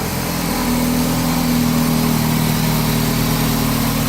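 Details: 2006 Dodge Stratus, first start after water pump replacement: steady, even idle with a smooth low hum and no knocks, ticks or squeals, before a screeching noise later appeared (owner suspects harmonic balancer); engine running healthy.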